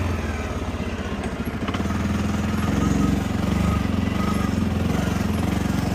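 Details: 2015 CFMOTO 800cc EFI V-twin ATV, 818 miles, revived after sitting over two years, with a new AGM battery and fresh gas. Uneven V-twin idle thump rising a little as it settles, no knocking or grinding; it runs normally (a left-case oil leak was found later).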